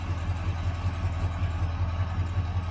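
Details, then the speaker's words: 1977 Chevrolet Malibu Classic, factory 350 V8, rat-chewed plug wires: low idle with regular puffing beat about five a second, slightly uneven; rough idle, owner suspects exhaust and carburetor, which hesitates and sputters on throttle. "the carburetor is a little bit messed up too but the engine the engine's not shaking or nothing maybe it's just that exhaust makes it sound bad"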